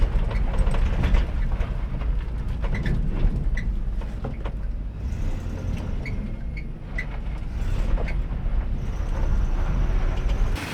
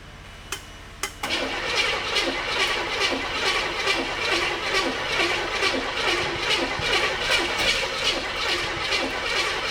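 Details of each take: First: 1985 Chevrolet K30 CUCV after engine swap replacing the bad 6.2 Detroit diesel: steady low V8 rumble with no knocks or misses, running pretty good; throttle linkage noted rubbing. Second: 1985 Chevy K30 CUCV, first start of the swapped-in engine on an electric fuel pump, not fully hooked up: it catches after sharp pops and backfires, then settles into a rough, fast, chuffing run with heavy smoke.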